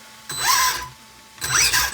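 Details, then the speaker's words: Redcat Volcano EPX Pro 1/10 RC truck after new bearings, shimming, a new R4FG receiver and ESC recalibration to forward/brake/reverse: two throttle bursts of whine with gear chatter and no grinding; motor and gears normal. "Everything seems to be working fine."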